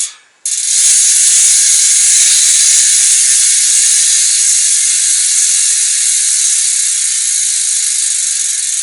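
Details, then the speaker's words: Novatec Diablo rear hub, about 3 years old, wheel off the bike during spoke replacement, spun by hand. Fast, crisp, high-pitched ratchet buzz that slowly eases off; normal freehub pawl clicking. "노바텍 디아블로 허브 소리 한번 들어보실랍니까?"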